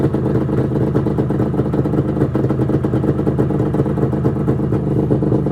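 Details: 1996 Arctic Cat ZRT 600 two-stroke snowmobile, cold engine after fuel pump rebuild (Vertex kit), tilted on tripod: loud steady buzz holding an even rapid beat with no misses or stumbles; normal running.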